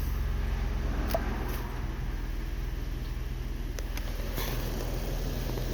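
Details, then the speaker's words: 2013 Ford Explorer heater blower motor after cleaning out heavy dirt, engine idling: steady low hum on the lowest fan speed, no ticking, rubbing or squeal; blower runs normally. "it's on low. I'll shut it. Should stop. It was pretty dirty. So I'll turn it back on here. It's on. Apparently that's on high."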